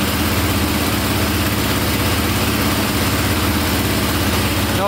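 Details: KTM 450 single-cylinder dirt bike, likely dual sport, just after carburetor fix (owner suspects overheating problem): loud, steady beat holding even idle, no stumbling or misses; a click on shutdown thought to be one-way bearing; normal idle.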